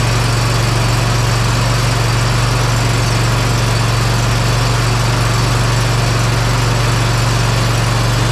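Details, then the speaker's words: Bad Boy Maverick zero-turn with Kohler Confidant V-twin after replacing the ignition coil and air cleaner, not yet fully hot: deep, steady idle with both cylinders firing evenly, no skipping or hunting; normal idle. "yeah that sounded really good I'm thinking that that was our issue"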